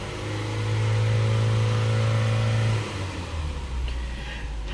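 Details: Ford (2009–2013 Fusion/Milan/Escape/Explorer/Mariner) engine at part pedal while live throttle-body data is monitored: climbs cleanly to a steady held rev and settles back smoothly, no stumble or hesitation; runs healthy.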